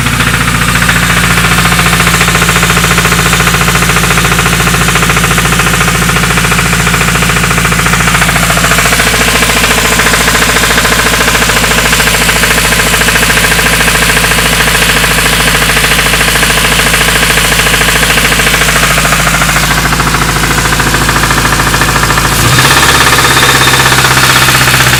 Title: D16 rod knock